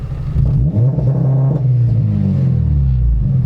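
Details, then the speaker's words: Modified car, launch control limiter retuned to be less harsh: deep exhaust drone held at a fairly steady pitch with only slight wavering instead of bouncing; soft limiter holds rpm smoothly. "That's kind of what I was going for, is that where it just kind of holds it at the RPMs. That's a lot better than the bouncing."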